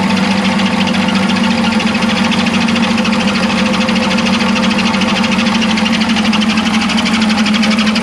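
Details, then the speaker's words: 1975 Chevy Vega Cosworth twin cam, sat 20 years, oil gasoline-diluted with sludge: steady idle with quick even ticking knock throughout; top-end knock suspected, cover may need removal, cause not confirmed. "yeah i don't like that it's knocking like that chas was saying we might have to pull the cover off and take a look and see because it sounds like it's up here right"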